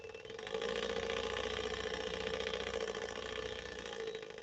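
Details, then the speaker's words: Swedish sewing machine not working correctly: the motor whirs with a rough rattle of about four knocks per second over a steady hum, localized near the bobbin winder drive. "Can you hear that again? If your car sounds like that, you should pull over immediately."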